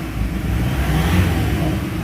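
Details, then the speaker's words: Ford Everest Titanium diesel, fairly new but running hot, revved after ceramic-metal-carbon engine treatment: strong, smooth revs climbing cleanly with a steady low rumble, no knocks or misses, whole unit shaking with light throttle; normal revving. "Lakas na ng RPM oh. Hindi pa nga ako gaanong nagapak ng pedal ba. O lumilindol na yung buong engine yung buong ano unit."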